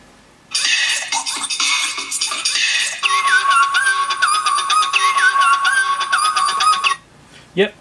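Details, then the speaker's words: MacBook Pro 13 2009 playing music through a loose replacement speaker: clear playback with no crackle, rattle or buzz, confirming the original speakers are blown and the audio circuit works. "working fine so definitely speakers we'll swap those out"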